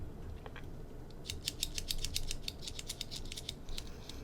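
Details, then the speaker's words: Sony AIBO ERS-210 tail block after cleaning and relubricating dirty gears that had jammed and jittered: light, loose clicking as the tail is moved by hand, no grinding or binding; gears move freely. "I like to do a little when I'm moving just to make sure everything gets distributed. We can hear how nice that is."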